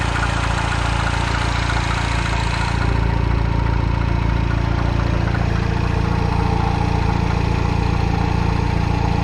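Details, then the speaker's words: Citroen DS3 after new turbocharger fitted (old one blown, smoking, low power): steady idle with even knock about 3.5 times per second underneath; clunking from below, source not found. "Yeah, it's supposed to burn because it's new, but it's not supposed to make sounds like this."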